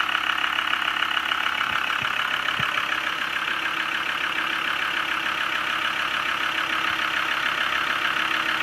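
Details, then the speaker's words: Land Rover Discovery 2 TD5 at startup, in neutral: a steady, even diesel idle with a smooth regular beat and no knocks or misses. Normal idle. "Listen to that. All that power. Sounds beautiful, actually. Smooth as you like."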